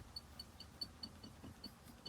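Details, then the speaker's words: New Mercedes GLE, rear arm support moved left and right by hand: sharp, high chirping squeaks about four a second over low rumble; owner suspects this rear suspension arm squeaks over bumpy roads. "When I pull left and right, so I guess when the car is moving, this thing is creating a lot of noisy sound."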